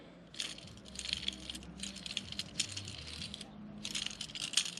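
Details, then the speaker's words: Polaris General XP 1000 front differential: removed pinion bearing spun by hand gives dry loose rattling bursts, worn bearing; another bearing was howling; Sandcraft RCR kit installed. "That bearing has definitely got some issues. Noisy, noisy, noisy."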